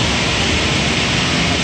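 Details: Gas power burner on one of two ganged steam boilers with new 24" Field barometric draft regulator, seen from the side, before ignition. Steady, even blower roar with no flame rumble or pulsing yet; normal pre-ignition purge.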